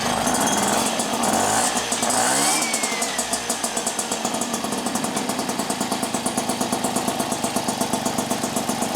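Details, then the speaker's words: Vespa Ciao with a newly fitted engine, first start-up with a new exhaust: after a brief starting whir, the small two-stroke settles into a quick, even popping idle with steady rhythm, running healthy. "we got it all started up sounds good"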